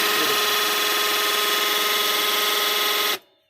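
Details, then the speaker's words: HP LaserJet 1020 Plus printer at power-on: harsh, buzzy grinding gear chatter for about three seconds, then it stops abruptly. "इसमें एक प्रॉब्लम आ रही है कि जैसे हम स्टार्ट करते हैं गिरारियाँ गर गर चर चर की आवाज़ें देने लगती हैं।"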